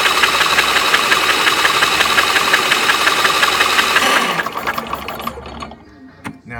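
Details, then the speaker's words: Engine cranked by the starter with spark plugs removed to prelube after an oil change (3 quarts 10W30 synthetic, oversized filter, cold oil), cranking for oil pressure; fast, even whirring near three beats a second with no compression pulses, then spins down. "since the plugs aren't in it, you can crank it over quite a bit, probably for like a good 15-20 seconds maybe."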